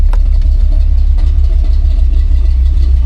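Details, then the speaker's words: 1985 Chevy C10 cammed V8 with new Holley 4160 Street Warrior 600 CFM electric-choke carb, fully warm at operating temperature: deep, slightly lopey burble, even and steady without stalling or popping; runs well warm, problems only on cold starts. "The good news is once the truck is up to operating temp, which we're at right now, this carb runs great. It's responsive. It's dialed in."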